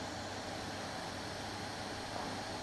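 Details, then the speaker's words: Cossor CR 1603A reel-to-reel tape recorder, about 1963, germanium solid-state, after supply voltage was restored: steady, even hiss with no hum or crackle; owner unsure whether the transistors are noisy. "know if it's the transistors are noisy but I've got a feeling it's probably like what it was from you to be honest to Manian eyes a little bit noisy"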